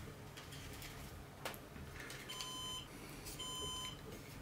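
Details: Synology NAS during a hard disk swap, a 3 TB drive replaced by an 8 TB WD Red: two long high beeps, each about half a second, roughly a second apart, over room noise. NAS alert, cause suspected, not confirmed.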